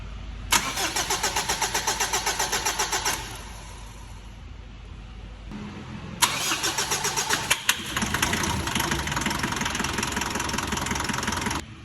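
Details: Mitsubishi 4D56 diesel engine: long failed crank, then a second crank catches into a hard, clattery knocking run; diesel knock with hard starting.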